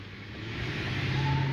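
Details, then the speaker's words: Lincoln Town Car with Coyote swap, after fixing cylinder 7 misfire with new part: short smooth rising rev, clean even note without stumble, power not lacking; normal revving. "power's there it's not really lacking but uh we're gonna find out when we get on the road for real"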